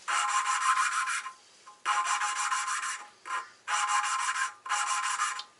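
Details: Nissan RB25DET forged engine build for an R32 GTS-T, lapping valves by hand with compound and a few drops of water: gritty back-and-forth rasping in strokes about a second long with short pauses; compound still cutting, seat not yet finished.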